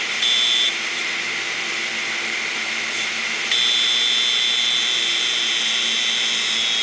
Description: 500gig Maxtor Hard Drive... Head crash, both sides, all platters.